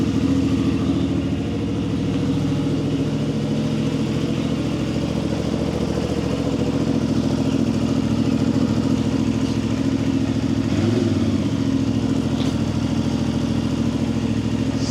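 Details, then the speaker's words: CFMoto 450 MT at 4,767 km after fixing failed cam chain tensioner that made engine very rough: steady, even single-cylinder idle, exhaust louder than engine, no mechanical clatter; harsh noise gone. "Ah, alhamdulillah langsung hilang, Teman-teman. Sekarang suara knalpotnya udah lebih kencang kan? Nah, ini daripada suara mesinnya langsung sembuh, Teman-teman."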